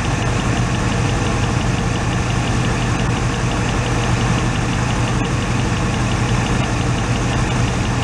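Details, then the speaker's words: 1986 Oldsmobile Cutlass Supreme V8, revived after sitting five years, idling during a test-light cylinder ground-out: low lumpy, uneven rumble; grounding number three makes no difference, so cylinder three is suspected dead and misfiring. "so number three cylinder doesn't make any difference they ground that cylinder out and you'll hear any difference in the rumbling of it so that's our suspect one"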